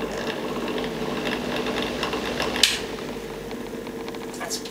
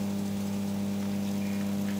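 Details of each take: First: Original bathroom exhaust fan, as old as the house: steady hum over a scratchy, rattling rasp from dry motor bearings; fixed by cleaning and repacking the bearings with grease. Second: Original bathroom/toilet exhaust fan after cleaning and regreasing the dry motor: small motor hums at a steady, even pitch with no rattle or scraping, running smoothly.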